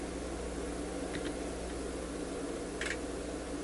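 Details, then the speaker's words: UNI-T UT8805E 5½-digit bench multimeter in two-wire resistance mode measuring 1K resistor; few crisp relay clicks over about a second with quiet fan hiss while autoranging, reading settles in about a second: normal autoranging relay clicking. "and you did hear the relay clicking it took about a second for the result to stabilize and that's actually pretty quick for out ranging so no issue at all here"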